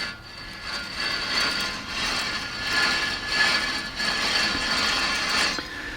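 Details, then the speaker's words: 2001 Subaru Outback, 221,000 miles: passenger-side front wheel bearing turned by hand with the CV axle removed gives a gritty, rough grind and won't spin smoothly; the wheel had no play, just humming; worn bearing to be replaced. "so this came it was correctly diagnosed here on passenger side that bearing you should feel it it doesn't want to turn smooth there's a grind in it"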